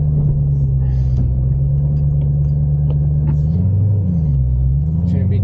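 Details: Ford Mustang on a test drive over bumpy roads after the upper and lower rear spring isolators were replaced; only a steady low road rumble from inside, and the earlier clunks over bumps are gone.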